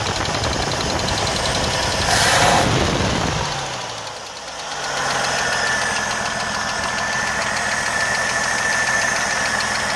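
Engine running with a light, fairly regular tick around three per second over a quiet idle; cause not yet pinned down. Cause suspected, not confirmed.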